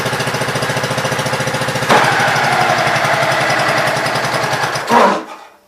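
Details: Gravely Pro 12 single-cylinder after cylinder head refitted, choke on, started just above idle: fires evenly, picks up speed and holds smoothly before shutting off; healthy.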